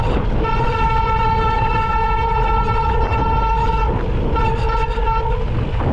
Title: Sram Centerline brake squeal